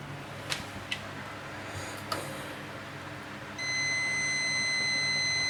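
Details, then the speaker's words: ASUS ROG laptop that won't turn on, meter across the current-sensing resistor: steady continuity buzz showing a dead short to ground on the 19 V rail; a failed DrMOS is suspected. "I have a dead short, as you can see. It's also, you hear that buzz? So I have a dead short to ground here on the 19 volt rail."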